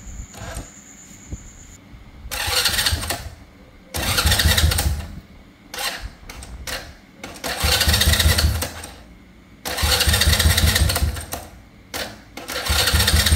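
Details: Honda Dream motorcycle whose starter clattered and would not engage, after repairing the starter: several short starter bursts each catching cleanly into a brief run, no slipping or clacking; electric start now engages properly.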